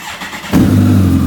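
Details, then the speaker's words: 2014 Kawasaki ZX14R with newly reinstalled reflashed ECU, sat under cover about six months over winter: quiet for half a second, then fires instantly and settles into an even, steady idle; clean, normal start. "Nice. Got to admit, the bike started up right away. It's been sitting all winter."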